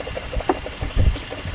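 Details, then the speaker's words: 2004 BMW X5 with multiple-cylinder misfire (codes P0300, P0302, P0303): uneven idle with irregular low thumps and stumbles; cylinders 2 and 3 have no compression, so the engine is considered practically finished. "el 2 y el 3 no me sirve no hay compresión ustedes quiere decir que el motor prácticamente no nos sirve"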